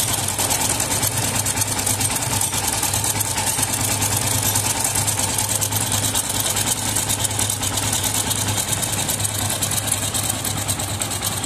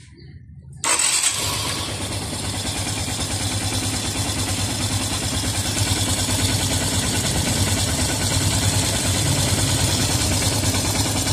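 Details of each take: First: Yamaha FZS V3 single-cylinder engine idling with head cover off: busy, uneven metallic "tang tang" clatter, like knocking; tightening the cam chain adjuster bolt reduces it slightly. Loose timing (cam) chain knock; decompressor checked fine, tappet clearance next. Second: Yamaha FZS V3 single-cylinder engine idles steady and even with no knocking or rattle after timing chain replacement and timing setting, recorded with the head cover off before refitting.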